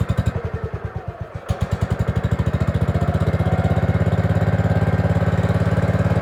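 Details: Gravely 5665 freshly fitted with a China carburetor (after a 15hp carb was tried), air cleaner on: an uneven, stumbling beat slowly settles into a steady thump, only on choke. The owner suspects a lot of play in the throttle arm is sucking in air, causing lean running.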